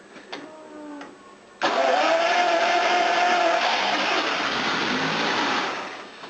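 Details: V12, warm after sitting 40 minutes, hard to start; owner suspects flooding from leaking injectors, possibly cold start injectors: slow cranking turns then abrupt loud, slightly uneven catch. Spark, injector pulse and fuel present.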